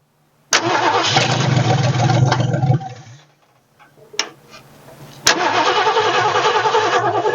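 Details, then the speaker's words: 1967 Ford F100, first start after sitting 29 years: it catches and runs a couple of seconds, then dies, then a restart. The stall is likely from the float bowl running out of fuel. "well actually she's probably out of gas um from Brian I hear from that second ago because it don't take long to run the bowl out long enough"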